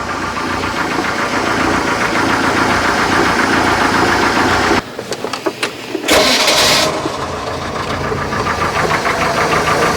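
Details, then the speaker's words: Mercruiser 120 hp inboard/outboard in a 1968 Starcraft Islander barn-find boat. It idles with an uneven, lumpy beat and a light metallic tick because ignition timing is too advanced and needs retarding. A tinny noise at the front is suspected timing chain or water pump bearing; the starter is loud. "Definitely starts up a lot better. Starter is really loud though. Yeah, it needs to be, the timing needs to come down a little bit more."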